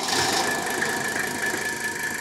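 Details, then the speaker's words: 1977–1995 Mercedes diesel (W123) with a newly installed electric boost pump, started without the hand pump after the fuel lines were changed; it clatters at a steady, even idle with no coughing or sputtering, a normal diesel idle. "Is it going to cough? Is it going to sputter? No, it's not. Look at that. This is why I love these boost pumps and these old diesels."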